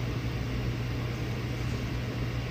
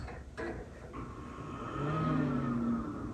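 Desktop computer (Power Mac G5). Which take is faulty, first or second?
first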